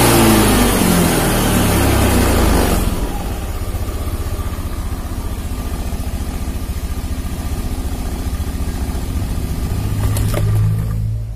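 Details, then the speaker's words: Honda Beat FI scooter, started on the electric starter after the battery fault behind its weak fuel pump pressure was found; a loud burst of revving settles into a steady, even idle, no knocks or misses. "Double starter, coba lagi ya. Oke, enak ya."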